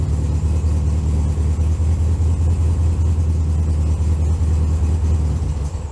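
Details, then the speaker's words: 1964 VW Bug air-cooled flat-four, cold start in snow at about 15°F: low throaty chuff with fairly even beat, holding speed without stumbling; normal cold-start running. "So a couple of cold starts and we'll see what happens."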